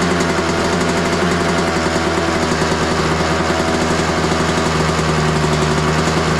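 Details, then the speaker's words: 2003 Honda CR250R two-stroke dirt bike just kick-started on choke, smells of gas, fuel mixed heavy: fast, steady raspy buzz well above normal idle; high idle, owner suspects carb needs adjusting or going through. "See if it uh the idle comes down a little bit. It's suddenly idling too high, but started pretty easy."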